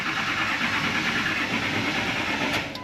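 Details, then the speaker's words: Early-2000s Ford F250 Super Duty, 7.3 L turbo Power Stroke diesel, about 400,000 miles; fuel filter and ICP sensor already replaced: starter cranks steadily for seconds but the engine never fires; crank-no-start from a fuel restriction at the tank. "That's no bueno. Just kind of cranks and cranks and cranks."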